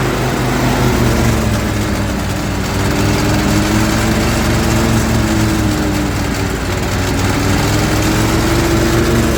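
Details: Zero-turn mower engine at low idle with blades (PTO) engaged, after valve adjustment: uneven idle sags and stumbles, bogging under load; both cylinders have spark, it dies when driving is added, cause unknown.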